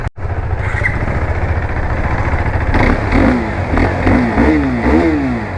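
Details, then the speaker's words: KTM RC 390 single-cylinder engine warmed up, after timing chain, head, bore and cover gaskets and seals replaced for engine noise; revs up and settles cleanly, no knock; normal engine rev. "ನೋಡಿದ್ರಲ್ಲ ಗಾಡಿ sound so ಈಗ perfect ಆಗಿದೆ ಅಂತ ಅನಿಸಿಕೊಳ್ಳುತ್ತೇನೆ"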